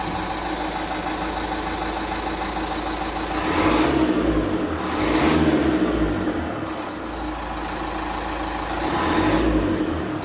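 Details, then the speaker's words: 2010 Dacia Duster 1.5 dCi, K9K 896 diesel, after replacing the timing belt, water pump, thermostat and temperature sensor. Steady diesel idle with even clatter and no knocks; only relay clicks are heard, which are normal: normal idle. "donc voilà donc vous avez vu la voiture tourne bien il y a absolument aucun bruit"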